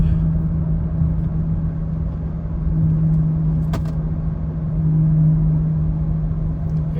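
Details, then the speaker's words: High-mileage Honda Pilot at about 40 mph: steady low droning hum over road noise, louder or changing pitch when steering right; worn front right wheel bearing with dried-up grease, later replaced. "now it's on the road it shifts fine but there is like a noise sounds like a wheel bearing noise yep so if I move it to the right yep I could feel it this might be a whe bearing problem"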